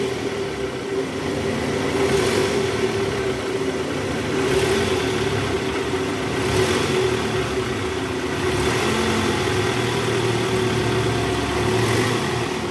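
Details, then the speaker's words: 2009 Toyota Alphard ANH20, 95,000 km, idling just after balancer shaft replacement, heard from the side: steady, smooth low hum with no knocks or rattles; the earlier rough running is gone. "Guys kita coba dengerin dari samping [Musik] Oke suara mesinnya halus ya guys"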